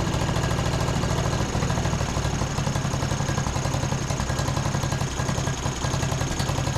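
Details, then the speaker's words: John Deere D110 riding mower engine, after carb spray into the main jet, runs with an uneven, stumbling beat and dropped firing pulses at idle; misfire traced to a loose, hand-threaded spark plug. "you guys can probably see this might have been a little bit of the issue. It was just like hand threaded in there, so I guess let's go ahead and pull this thing out."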